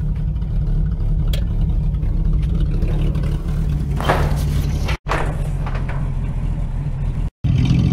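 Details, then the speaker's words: 1950 Chevy custom that sat outside 21 years, running from a small temporary gas tank after revival: deep, even purr with smooth throttle blip, no knocking, good oil pressure; running beautifully. "but listen to that thing run it's just purring just furry it's got good oil pressure and everything"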